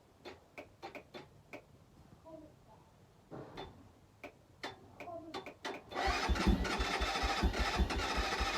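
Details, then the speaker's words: Keeway 125cc with Suzuki GN/GS engine, unstarted 18 months, new battery; isolated clicks and stalled attempts, then starter frees and cranks steadily; starter seemed to jam, owner unsure if battery voltage dropping, soon freed itself. "start of seemed like it was jamming I don't know if that was the uh voltage dropping the battery there I'm not too sure but it's soon freed itself up"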